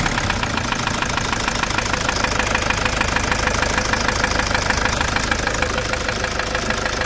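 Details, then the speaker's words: Toyota SW4 diesel with dirt in the diesel after a service: sharp even tick about two per second over the idle; sounds like the engine but is the stuck first injector. "esse barulho todinho que vocês estão ouvindo é o bico parece motor né mas não é é o bico aquele bico travado ali o primeiro bico tá com problema"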